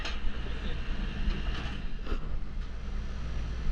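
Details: Air conditioning condenser unit after a melted hard start kit, suspected power surge, running without the kit: steady low drone from compressor and fan with no chatter, buzzing or labouring; running normally.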